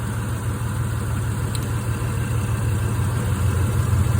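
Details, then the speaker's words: Petrol engine idling rough and lumpy with an uneven beat; disconnecting this cylinder's coil pack or plug wire changes nothing, so this cylinder is misfiring, cause still to find (wire, plug or valve train). "No change whatsoever. So, this cylinder here is the problem."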